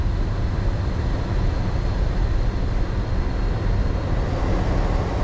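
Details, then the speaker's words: 2000 Chevy Silverado 1500 4x4 regular cab, 44k original miles, HVAC blower on defrost, pitch rising slightly when set to cold: steady, even rush of air from the vents with no rattle, flutter or squeal; blower and blend door working normally. "Now you can hear just straight defrost. You'll hear a little bit of sound difference when I go to cold. Gets a little higher."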